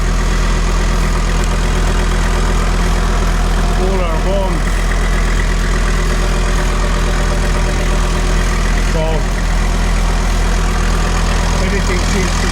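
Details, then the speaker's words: Rebuilt VW T4 Syncro after a 2-year overhaul, warm at 54°C as the cooling fan starts: smooth, even idle with steady low hum and constant fan rush, no knocks or misses; healthy. "Et euh, on fait tourner le ventilateur. et, euh, notre thermomètre fait donc 54°C degrés, le ventilateur commence à fonctionner."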